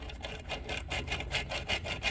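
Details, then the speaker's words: 1989 Honda Pilot FL400R two-stroke engine torn down after running lean and losing all compression. Bare crank turned by hand gives a gritty rasping scrape about four times a second; the rough crank bearing is believed to be the noise source, and slight crankshaft play is noted. "bearing definitely sounds rough in there, so I feel like that's the source of my noise."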